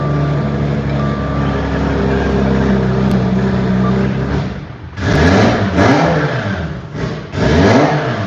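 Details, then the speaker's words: Turbocharged engine on a flex-fuel ethanol tune, started and heard from the engine bay, cold charge piping showing condensation; a steady, even idle, then sharp revs climbing and falling cleanly with no knocks or rattles. Healthy running. "Use more fuel to the lane. Wow, that sounds good."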